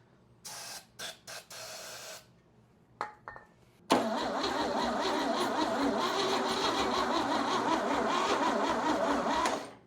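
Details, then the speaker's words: Chevy 235 inline-6 from a 1961 Apache pickup, sold as recently rebuilt, fuel poured down the refitted carburettor: brief bursts then steady starter cranking at about three beats a second, almost starting but never firing; a crankcase vapour ignition followed. "Come on. You know you want to. man. So close."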